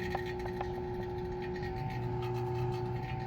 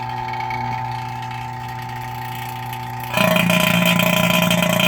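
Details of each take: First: 2017 CLAAS Lexion 740 combine A/C vacuum pump evacuating the system after compressor replacement, high side closed: steady even hum, real quiet with no pinging or knocking; normal vacuum pump running. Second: Cheap vacuum pump evacuating the A/C on a 2017 CLAAS Lexion 740 combine after compressor replacement: steady hum turns louder and harsher with rising hiss when the lid is opened; error source unclear, owner suspects humidity or moisture, though vacuum test passed.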